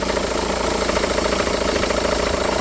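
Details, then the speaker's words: 2009 SEAT Leon with engine running: fast uneven chatter with a faint steady tone from the belt drive; A/C compressor pulley bolt thread stripped and not tightening, letting the pulley wobble. "looks like the trade is gone one cuz it's not tightening it's not tightening so that's why it was wobbling I can see a wobble"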